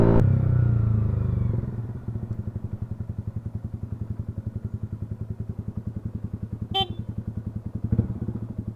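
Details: Toyota Wigo petrol engine idling with lumpy pulsing uneven beat; misfire from faulty ignition coil, fixed by replacing the ignition coil.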